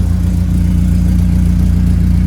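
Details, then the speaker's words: BMW E36 started cold after catalytic converter and fuel filter replaced; fuel filter heard filling first, and exhaust now sounds slightly different. Low, even idle drone with no misses or knocks; normal cold idle. "Maintenant on démarre franchement. Le bruit est légèrement différent, on dirait."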